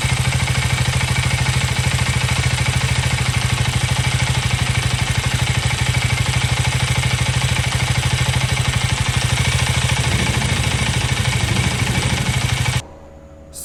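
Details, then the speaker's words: KTM Duke 390 Gen 3 (LC4C single-cylinder) idling, recorded on a phone microphone: even rapid single-cylinder thumping with light combustion clatter holding steady, normal for this performance engine; healthy idle reference. "that was the idling engine noise I mean idling engine sound from this motorcycle and uh I hope that gives you an idea of what it should sound now this is a Performance Motorcycle so there is going to be some combustion clatter"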